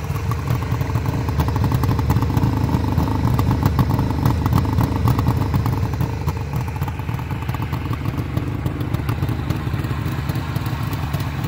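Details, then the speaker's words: 1973 Suzuki GT550 two-stroke triple: a steady, crisp idle with an even, rapid popping beat that holds without stumbling; it holds a nice idle with a sweet exhaust note and sounds healthy. "the bike will just sit there and hold a real nice idle I think that's just that's a sweet sweet exhaust"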